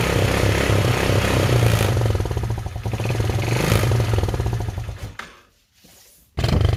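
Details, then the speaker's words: Chinese 110cc quad (ATV) with a messy wiring harness, first start after carb cleaner was sprayed into the air filter: the single buzzes evenly at fast idle, dips briefly, then picks back up; the quad runs normally. "so there we go the quad runs"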